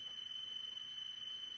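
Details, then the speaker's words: 1990 Infiniti Q45 OEM stereo under restoration, cassette playing: thin, high cricket-like chirp that wavers and never settles, likely flutter; cassette drive motor worn and needs replacing. "Sounds like crickets. Shouldn't sound like crickets. But we know what the problem is. It's clearly the motor."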